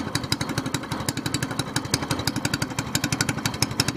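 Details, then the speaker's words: SPS Longtail mud motor, freshly built and still cold, running after its first oil change following a 3-hour break-in, now on 10w-30 Royal Purple synthetic with 2 oz BestLine. A quick, regular popping beat, steady and even; it is running properly. "yeah just seems to be revving a little bit smoother but you know need to clean need to get old denatured alcohol clean all that up"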